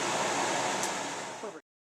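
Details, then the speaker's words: Oven after igniter replacement: once the new igniter gets hot enough the gas valve opens and the burner lights, giving a soft, even rushing roar for about a second and a half, then stopping cleanly; normal operation. "And there she is. Once it got on hot enough, the gas starts flowing and turns right on."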